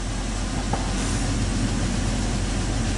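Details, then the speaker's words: 2002 Chrysler Sebring 2.7 V6 idling after alternator replacement: steady low even hum with no earlier whine, no battery light, lights now stable, voltage good; normal idle, charging system healthy. "appears fairly stable. And in my previous videos, you would hear that weird whining sound, which I don't hear."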